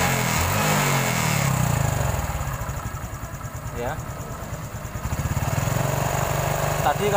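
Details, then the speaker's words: Honda Supra X 125 injection after the cam chain repair: even putter at about four beats a second with no chain rattle, the earlier loud rattle gone and the idle now smooth; engine shows signs of routine oil changes. "kita Andini suaranya ngericiknya keras sekali dan sudah halus"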